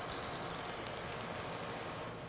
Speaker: the squeaking you hear there is often a very good indication that you've gone far enough with this pass and it's time to remove the drill and clean the chips from the hole and from the flutes of the drill